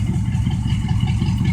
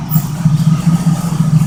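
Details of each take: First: 1972 Oldsmobile 98, 455 big-block V8, warmed up, with a hole in the left muffler; deep, even burble at a steady idle with a regular lope and no misses or knocks, healthy engine. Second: 1972 Oldsmobile 98 (1973 front clip), 455 big-block V8, cold start: steady idle with a fast, uneven buzzing rattle that sounds like knocking but is just a loose part vibrating, not an internal knock; engine runs well.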